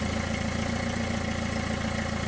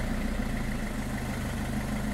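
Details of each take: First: Car muffler junction with many holes, before sealing with J-B Weld ExtremeHeat paste: a quick, regular puffing tick at idle, about seven or eight a second over the engine hum, as exhaust gas escapes. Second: Car idling after sealing a loud exhaust leak at the muffler junction holes with high-temperature metallic putty; steady even idle with a smooth low rumble and no puffing or ticking, leak no longer heard.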